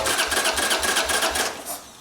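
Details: Harley motorcycle, light choke and one throttle pump: the starter churns in even pulses, about four a second, for under two seconds without catching. Cranks but won't start; an unconnected vacuum line is suspected, not confirmed.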